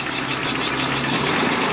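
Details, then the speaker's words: 1984 Toyota Celica GTS RA65, 22RE four-cylinder, just started cold after valve cover gasket replacement for oil leaks: settles into steady, even idle with no ticking or knocking; sounds normal. "let it run for a little bit anybody hears anything weird or is there anything let us know sounds normal to me"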